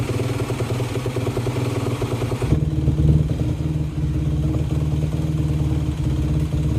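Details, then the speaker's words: 2011 Yamaha YZ250F, hard to start when hot (the cause proved not to be the valves), on a cold start after repair, with a fan running nearby. It catches and settles into a steady, low, even idle: normal cold-start warm-up. "Okay, so there you have it, and this bike has been picked up by the customer. It runs great."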